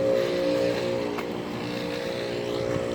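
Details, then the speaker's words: 27-year-old 1997 Ruud condenser that no longer cools well: steady loud drone with a pronounced tonal hum, audible about 25 feet away; old unit running noisily, likely worn out. "a loud unit. I can hear it all the way up from over here, like 25 feet or something. There's a Goodman. Yep, this root is so loud."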